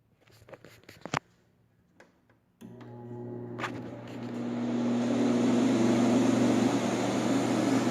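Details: 1958 Carrier 4,500 BTU portable-style window air conditioner on fan only, shaded-pole motor drawing 2.4 A: a few clicks, then a low hum and airflow rush building smoothly and evenly; blower wheel cleaned, bearings good, fan motor runs fine.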